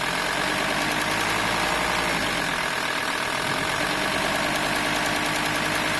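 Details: VW T4 2.5 TDI (AXL engine) idling at 1050–1100 RPM, the only speed it occurs: fast irregular metallic rattle at about three per second at the serpentine belt area; engine rattle, probably the belt tensioner pulley.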